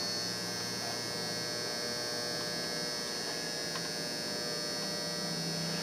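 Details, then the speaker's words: Optoma UHD60 4K DLP projector after the flaked-off color wheel index mark was re-taped, following a lamp replacement that did not fix the lamp-light flashing. It runs, but a steady high-pitched buzz and whine suggest a worn color wheel motor. "it's working but I think that color wheel might be shot"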